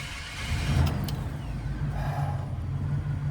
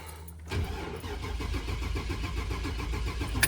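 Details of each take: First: 2000 Chevy Express van after repairing a crank no-start (crankshaft position sensor diagnosis): engine cranks and fires without hesitation, then holds a steady low rumble with no misses; now starts normally. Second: 2000 Chevy Express van with a crank no-start; it originally ran poorly and bucked. The starter churns steadily for about three seconds but the engine never catches. The scanner shows no cranking RPM.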